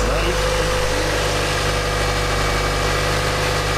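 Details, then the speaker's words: Mazda Miata idling after restart on a charged, previously dead battery, following battery light and coolant boiling/overheating; steady even idle with smooth low hum, no knocks or squeals, sounding much better, everything working well. "It sounds also better now. Yes, that sounds a lot better. And it's Everything is looking working good."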